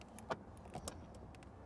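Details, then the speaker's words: Pre-owned Ford Bronco door check: this door swings with only a few light clicks and a soft latch tap and no popping. The door on the other (driver's) side pops, which is a hint of possible past body work. "you hear that popping sound on the other side it doesn't make that sound"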